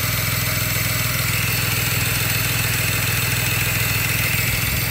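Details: 2007 BMW 335 at idle after winter storage and a valve cover gasket change, with fault codes: rough, uneven stumbling misfire under steady hiss; cause not yet found.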